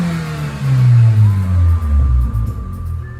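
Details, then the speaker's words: 2002 Mitsubishi Lancer OZ Rally, previously dying on acceleration; after new fuel filter, MAF, TPS and IACV, idle screw fully closed, ~10 minutes idling: revs up smoothly and settles back without stumbling or dying; idle still bouncing. Clean revving without stalling. "it's not bad she sounds good though like I pushed the gas down and she doesn't [Music]"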